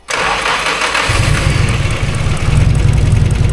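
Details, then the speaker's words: Nissan SR-based SR32 build, first start on a Link ECU using the ECU's built-in base map, with fuel pressure confirmed: brief starter turn, then it catches at once and settles to a steady, even idle. The map still needs tuning. "There we go. And it's still a base map. There's a lot of stuff that needs to be changed, but you know, good."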